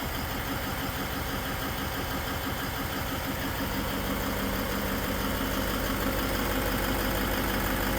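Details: Toyota Land Cruiser 200 (LC200) diesel at idle: a fairly regular tick of about three per second over the diesel clatter, loudest at one spot in the engine bay; an extraneous engine noise whose source is not identified.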